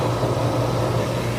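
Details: HVAC refrigerant recovery machine just switched on, pulling refrigerant into a recovery tank: steady, even low compressor hum with no knocking, rattling or surging; it is running normally.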